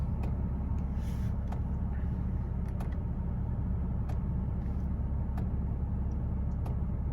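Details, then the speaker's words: Porsche 987, engine warm after a drive, idling smoothly with steady low rumble and no stumbles after replacing the failed air mass sensor; air oil separator was also failing; normal warm idle. "as you can see the engine is worn and the car is idling fine"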